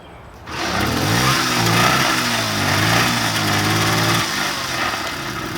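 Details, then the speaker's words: 1977 Puch Maxi N moped, first start in years with quick hack fuel setup before tank cleaning: fires right up, then a buzzy, slightly wandering two-stroke idle settles; runs but needs tuning. "It's alive! Oh, wow, whoa! Nice. Holy moly, it fired right up!"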